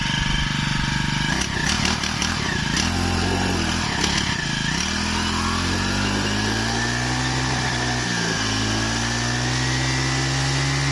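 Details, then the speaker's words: Used Japanese Honda UMK422 four-stroke brush cutter, easy pull start: the engine revs up smoothly and holds a steady buzzing pitch with no rattles or misfires. Runs healthy and soft. "ของแถมจะดึงดูนะฮะง่ายๆเลยเครื่องเดินนิ่มๆเลยฟังเสียงดูก่อนนะ"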